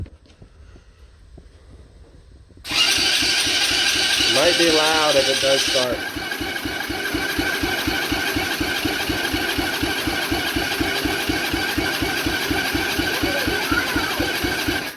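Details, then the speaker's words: Coolster 125cc ATV, under 50 hours, previously sunk and abandoned, choke on, in neutral: starter cranks for about twelve seconds with no fire. Carb leaks fuel outside but none gets inside. "all right so we're definitely having carb issues you can see if I can zoom it in just a little bit you can see it's all wet we're getting gas on the outside of the car but not inside the carb"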